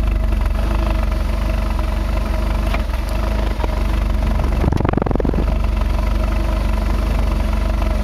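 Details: 2005 Ford Focus 2.0 Duratec idling rough, seemingly lean, just after swapping in new plugs: uneven beat of about four pulses a second with occasional stumbles; fuel filter, plugs, coils, MAF already done; owner suspects exhaust leak, plugged cat or bad O2 sensor.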